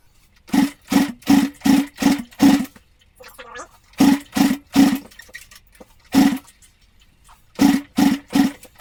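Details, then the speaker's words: Newly acquired Honda project bike (S65 or C200), first kick-start attempt after fuel connected; sharp massive backfires in quick bursts, won't catch; owner suspects carb flooding into the cylinder or ignition timing 180° out, leaning toward timing. "She ain't happy. Right. Well, she weren't happy. Uh, couple of massive backfires. So, it's either the carb is just flooding straight into the cylinder."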